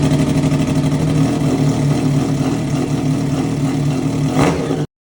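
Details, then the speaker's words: Triumph Daytona 675 rebuild, first start in three months since a wreck, mid pipe fitted without muffler: loud raw open-pipe bark, fairly even idle, swelling with a blip; runs healthy straight-piped. "When you do exhaust, when you take an exhaust off, you gotta start it straight piped, right? Like I'm not gonna run it on the street like this, but I want to h"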